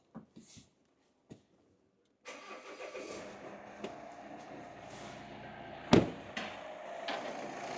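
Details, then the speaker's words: Volvo XC90 2.4 diesel after replacing a cracked DPF that had caused low boost, lack of power and limp (tortoise) mode, with leaks checked: after a few clicks it fires and settles into a smooth, steady idle with no knocking or hunting. "We have the engine running nice and smooth."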